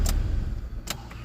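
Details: 2002 Hyundai Accent, injector petrol (no distributor), previously crank-no-start with injector circuit low codes P0261/P0264/P0267/P0270. Started with the ECU fuse fed 12V externally, codes cleared: short steady low rumble settling into an even idle, no knocks or misses.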